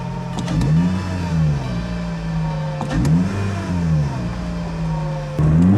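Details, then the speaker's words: Toyota Celica GT-S with new Injen IS2045P short ram intake, TRD exhaust and new spark plugs, warmed up, window down, alternator whine audible: revs climb smoothly through each gear with crisp shifts and a throaty, even intake and exhaust note; healthy. "but you can hear the intake, and well, you can hear mostly my exhaust, which is the TRD exhaust."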